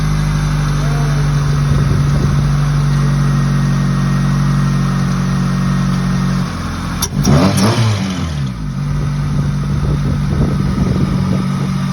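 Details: Freshly rebuilt B18C1 GSR engine swapped into an Integra LS, first start: smooth, steady idle with even low drone, a brief throttle blip, then settling evenly; runs healthy.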